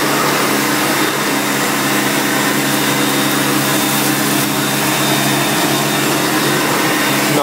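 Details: 1990 Electrolux 616 Electronic (Z616AE) vacuum cleaner, bought used and cleaned, running during edge-cleaning test: steady, even motor hum with smooth airflow hiss, no rattles or surging; motor runs really good, normal running.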